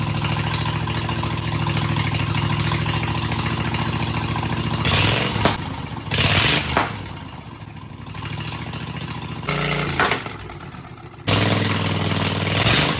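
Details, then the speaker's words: Cub Cadet lawn/garden tractor, 24 hp engine described as newer and rock solid; it catches and settles into an even idle with a couple of brief throttle blips, firing steadily with no misses or knocks. Normal start and idle. "It's been rock solid ever since we've had this tractor."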